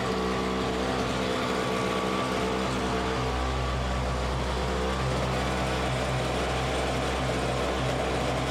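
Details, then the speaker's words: Simplicity 520 single-stage snowblower, first start on choke after electric starter repair, auger engaged: small single-cylinder engine runs steady, nice and smooth, no hunting or surging; normal running. "so there we can see it actually runs it it runs good nice and smooth it wasn't surging or anything like that"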